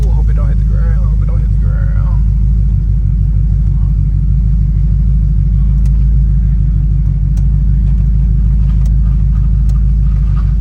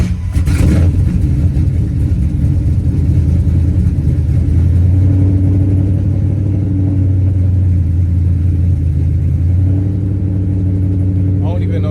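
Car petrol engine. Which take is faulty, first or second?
second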